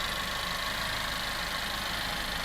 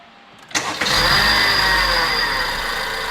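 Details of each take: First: Car engine after an AC compressor bearing replacement. It had a loud howling/humming noise worse on throttle, traced with the belt off to the compressor bearing. Now a smooth, even idle with a soft steady hum and no whine; repaired and healthy. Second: Engine started with a loud, steady, high-pitched howl over the idle, very obvious and loud under throttle, present for a year; traced by removing the belt and spinning the pulley by hand to a failed A/C compressor pulley bearing.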